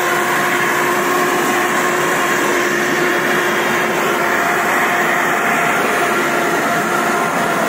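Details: Samurai rotary mower with a chain-driven rotor, running in rotation at the second and third speed setting: a loud, steady droning hum with constant pitch and no knocks or grinding, normal gearbox and chain hum.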